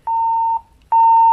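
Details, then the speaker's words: Motorola APX6000 radio with lapel mic attached, volume raised on the lapel mic toggle switch: two clean mid-pitched beeps, the second slightly louder; normal volume level beeps. "when the lapel mic is in place the volume control switches from the dial on the radio here to this toggle switch so as we go up you will hear increasing beeps"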